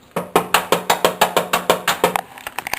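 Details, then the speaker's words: Toro mower deck, belt drive being reworked, spun with everything turning clockwise from the top: sharp hollow clunks about three per second, slowing and fading out; a loose blade knocking on its mount. "yep blades loose I like that"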